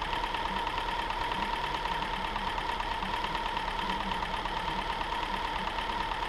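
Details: 2007 Subaru Outback 2.5 SOHC interference engine, wrecked parts car, test-fired after timing belt replacement: steady idle with light even ticking and no stumble or skipped beats; running cleanly with no bent valves, no misfire codes.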